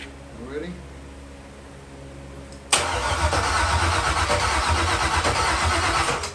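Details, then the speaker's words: Chevy truck with a cammed 5.3 V8 (232/234 cam, 110 LSA) on its first start after a rebuild. The starter churns steadily for a few seconds but it never fires: no power reaching the fuel pump, later traced to ground issues and missing connections. "we weren't getting the power to the fuel pump we left it alone"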